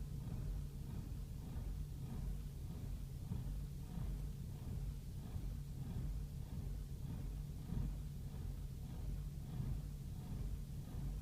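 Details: BMW E60 rough idle: low, uneven lumpy pulse with no check engine light; happens every 200–300 miles on highway or parked, clears after engine off a few minutes; dealers can't find cause.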